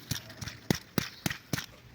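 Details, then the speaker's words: Loose pulley bearing from a timing belt and V-belt job, spun by hand after removal. It gives faint scratchy chirps about three times a second, a worn bearing starting to need replacement. "Yani rulmanda şöyle sesi duyurmak istiyorum yani yavaş yavaş beni değiştir deme sesi gelmeye başlamış hafif bir böyle cırtlak bir ses geliyor"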